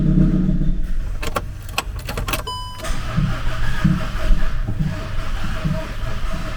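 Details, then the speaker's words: VW T5 Transporter, partly reassembled without timing covers or alternator pulley, on a battery pack: starter turns it over with lumpy, uneven compression pulses, never catches; bent inlet valves, cylinder head must come off. "no it ain't starting unfortunately right well unfortunately that van now needs a lot of engine work doing to we're going need to pull the cylinder head off"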